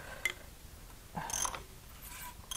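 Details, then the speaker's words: JDM Nissan Silvia SR20DET swap engine on teardown, valve cover off, heavy varnish, slack cam chain suspected: turned over slowly, it gives bursts of high-pitched squealing and scraping every second or so; dry internal rubbing, cause unconfirmed. "it almost sounds worse i don't know how it's possible yeah that sounds pretty bad screaming at me"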